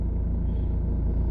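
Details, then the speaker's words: 2005 Ford Mondeo Mk3 2.2 Ghia X with no oil or water loss and steady temperatures, idling normally: a smooth, even low rumble at a steady tick-over with no knocks or rattles. "You can hear the engine now purring."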